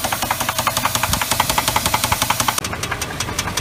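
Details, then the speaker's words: Jeep Grand Cherokee V8, running: loud steady metallic knock about three times a second; suspected worn rod bearing, oil pan being removed to check. "I'm under the Deep rate I still going for the sound I'm about to take out the oil p it sounds like could be drve wheel and we are taking out the oil pen to check out any Rasberry issues"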